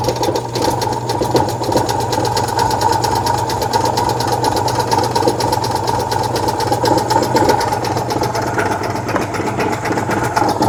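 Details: 1966 VW Type 3 Fastback air-cooled flat-four just fitted with new dual single-port 34 carbs replacing factory carbs: even, quick chuffing idle at constant pitch, no skips or lumpiness; normal idle.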